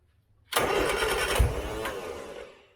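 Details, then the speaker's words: 1970s Turner Ranger tractor, 1098cc A-series Mini engine, weak battery on a jump pack, long hard to start: about two seconds of cranking with one dull pop, then dies; owner suspects fouled plugs. "wants to [Music] go and this is the problem I have it's always been difficult to St so I'm actually going to stop there I bet that my spark plugs are foul now because of that"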